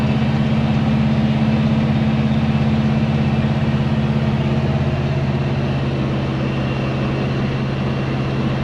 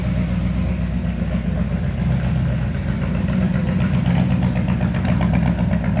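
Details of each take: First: 1970 Chevy C10 pickup, 327 small-block V8 with HEI distributor, after refitting the distributor, which had been in wrong: smooth, even idle with a steady low beat and no misses, pops or knocks; runs healthy now. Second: 1970 Chevy C10 with a 327 small block and HEI distributor, which starts hard when hot: a deep V8 idle that stumbles and lopes unevenly about four beats a second. The distributor was installed wrong and the cap and rotor are worn out.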